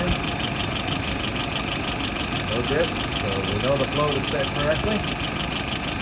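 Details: Restored WO 636SA carburetor tested on a 48 engine, fuel pressure 2.75, vacuum 23, no leaks: even, steady idle with smooth mid-pitched hum, no misses or stumbles.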